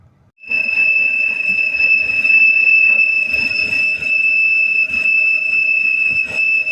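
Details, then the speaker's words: 2007 BMW X3 3.0 running engine with a steady piercing high whistle from a vacuum leak, heard from the front and below. Removing the valve cover cap stopped the noise, showing a cracked valve cover; recorded before replacing the cover. "tiene un ruido extraño se escucha por enfrente se escucha por abajo donde sea y crees que es una polea nada de eso era algo de vacío muy raro pero era algo de vacío"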